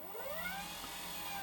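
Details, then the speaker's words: 1000 W 36 V DC electric motor on its controller, speed set by a potentiometer instead of a suspected faulty throttle pedal; faint whine rising smoothly as it spins up, no grinding: motor running normally. "So now I see that the controller is working and the motor is running. This is a 1000 watt 36 volt DC engine, electrical,"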